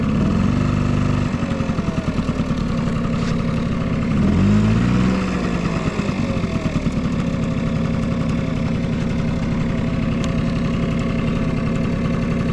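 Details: Vintage Honda Squash AB11 scooter, 12V electric start: even quiet idle putter with one short throttle blip; no knocks or rattles, healthy engine.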